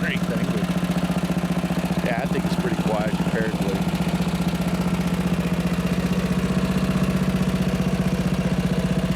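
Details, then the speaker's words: Riding mower after fitting homemade quiet exhaust, heard at rear where muffler exhaust exits: even, low thumping pulse at steady idle, more thump than rattle; normal quiet running. "Yeah, even in the back here where the muffler is actually exhausted, is pushed out. It's more of a thump than it is a rattle."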